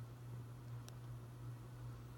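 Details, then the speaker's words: Hunter Infiniti 52-inch bright brass ceiling fan running in reverse on high speed: steady, fairly loud low motor hum under the airflow, unchanging, noticeably more hum in reverse than forward. "Hum's a bit more in reverse, that's something I do notice with it."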